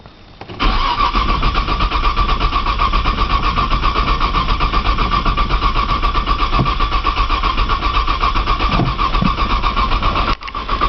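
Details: 1995 Nissan Maxima, 210,000 miles, push-button start, in snow and cold; starter churns steadily for about ten seconds, about four beats a second, never catching; owner suspects a bad sensor and tries priming with fuel; long crank, no start.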